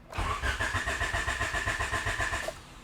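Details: 1988-91 Honda Civic EF hatchback project car (the stock D15 was bought non-running; B17 swap later): the starter turns it over at about four even compression beats a second for two seconds without a single catch, with no fuel getting through.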